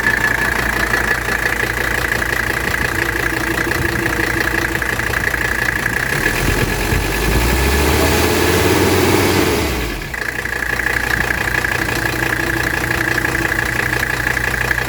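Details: 1985 Mercedes 300D diesel with 18,000 miles, cold engine in warm weather after glow plugs: even diesel clatter at a steady cold idle, one brief rev blip that drops back cleanly; healthy.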